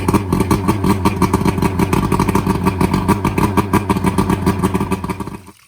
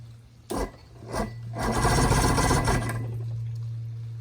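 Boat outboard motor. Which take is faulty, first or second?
second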